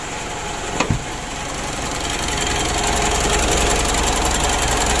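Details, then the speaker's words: Mitsubishi Pajero Sport Exceed diesel with vibration and rough running, after starting: rough idle with steady clatter about 3.5 knocks per second that swells slightly, heard from the front of the engine; cause not confirmed. "itu suara injektor ya Seluruhnya begitu yang bikin agak kurang enak ya itu suara bagian depan sini"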